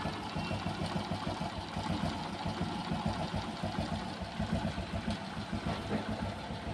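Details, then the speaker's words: Hero Passion Pro motorcycle, after the timing chain rattle returned weeks after a new chain and was fixed by tightening: steady single-cylinder idle, even low beat, no top-end ticking or chain rattle; noise gone, normal idle. "Tight करते गाड़ी start भाई कहां है आवाज आवाज तो बिल्कुल खत्म हो गई"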